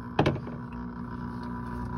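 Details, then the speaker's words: Hessaire evaporative cooler, pump under one year old, drained and switched on: thump then steady electric hum, no water moving and nothing out of the hose; failed pump, replaced under warranty. "so i got a bad pump not even a year old and this thing has a bad pump already what the hell this is okay so i've drained the water out of this pump see if i can turn it on again you can hear it"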